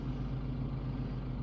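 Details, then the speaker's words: Hyundai with rebuilt engine, fixed and idling after its first drive after sitting: steady, even low idle hum with no knocks, ticks or misses. Smooth idle. "No weird sounds or anything like that."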